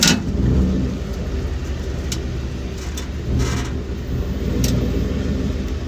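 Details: 2012 Ford F-150 with new shocks and new springs: a few sharp pops from the rear end as the truck pulls out of the driveway over low engine hum; source not found.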